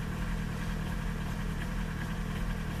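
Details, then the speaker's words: Old TDI 90/110 hp rotary injection pump diesel, cold engine in rain: deep, slightly lumpy idle, very rich with diagnostic showing 0 mg quantity reading, too much fuel set on the pump adjuster. "pierwszy widzicie dawka 0 miligram bardzo bogata"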